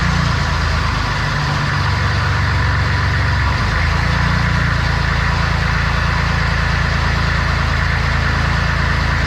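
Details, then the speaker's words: Corvette with diesel engine after injection pump timing reset to factory marks, started with ether, one leaky injector line open: starts really easily and settles into deep, steady, even diesel clatter with far less smoke. "yeah that started really easy yeah dude this smoke way less too way less"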